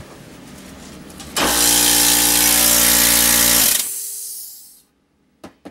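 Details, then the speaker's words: Air compressor, owner suspects a blown gasket on the pump: compressor kicks in with a loud, droning buzz for about two seconds, then cuts out and hisses away; pump running rough, possibly leaking, abnormal noise. "like I blew a gasket on the damn pump."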